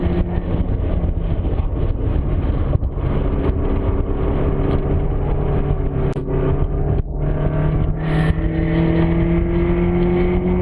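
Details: Car swapped with KA24DE '95 S14 powertrain, recorded while lapping: engine and road noise with a faint tone rising with speed; intermittent whine in gear, source unknown.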